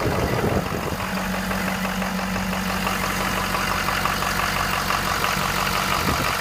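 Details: 2015 6.7 diesel idling: dull knock repeating about three times a second over the rattle; engine knock, cause not known.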